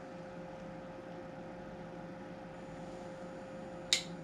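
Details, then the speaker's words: Tektronix 127 preamplifier power supply, after swapping the V657 (100 V) and V667 (225 V) regulators: a quiet steady hum, then one sharp click near four seconds. The time delay relay is pulling in normally. "Click. That's good."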